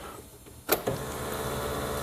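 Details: Off-road utility vehicle during accessory relay rewiring, key turned on; a relay clicks, then a soft steady electric whir follows; normal fuel pump prime.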